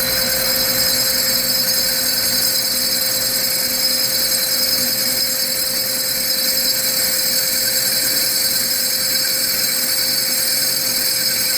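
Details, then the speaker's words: Core drill cross drilling soft jasper in a cross drill jig at correct, fairly fast feed rate after the bit is set into the piece: steady high sizzling sound with faint constant whine, no squeak, indicating normal cutting. "Right now our feed rate, see, got a pretty decent feed rate on it. it up, and it's got that more like that sizzling kind of sound."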